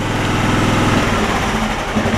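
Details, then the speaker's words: John Deere LX266 riding mower, about 1100 hours, after new deck belt and blades and backing out the air-fuel mixture that was too lean: steady even putter at idle, no hunting; running smoothly. "y'all can hear it's running smoother too all I had to do was back out the air fuel mix a little bit it was run a little bit too lean so that's good"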